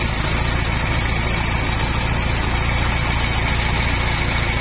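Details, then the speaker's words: Motorstar Easyride 150 single-cylinder after valve tappet adjustment, timing and tensioner fixed: busy but steady patter at idle, even beat with no rattle or tapping; earlier noise gone, idles normally. "so Okay na Yung kanyang timing mga pre Okay na Yung kanyang ah tawag diyan yung ah ah tensioner niya mga parekoy so so far Wala naman ah okay naman siya okay na siya"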